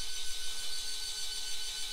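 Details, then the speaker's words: Losmandy G11 telescope mount RA axis slewing after fixing a misaligned gear / bad motor coupler and resetting worm mesh; steady high motor whine at even pitch, no grinding, clicking or skipping, drive now healthy. "sounds pretty nice cool that's beautiful so I think we're fixed we got it we got it working pretty well"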